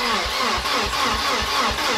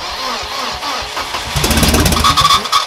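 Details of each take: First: Volvo 740 with newly fitted swapped engine, first start attempts: steady cranking thumps about four per second, engine never catches; no start. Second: Volvo 740 with a newly installed replacement engine, first start after assembly: the starter cranks with rough firing, the engine catches, stumbles, then settles into a steady idle. Normal start and idle; the starter motor is still giving trouble.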